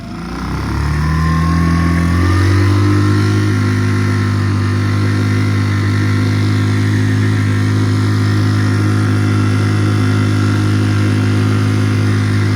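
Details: Normal running under load on a Tohatsu 3.5 outboard on a West Marine PRU-3 inflatable, fitted with an upgraded prop and a Doel fin hydrofoil to fix surging and ventilation. The drone climbs quickly as the throttle opens, then holds an even pitch with no surging.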